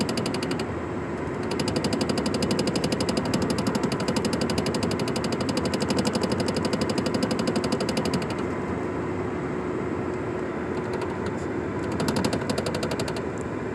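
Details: Nissan Sentra with a sharp, even knock about four times a second while driving in a straight line above 30 (stated as mpg). The knock briefly drops out and returns, and the cause is unknown.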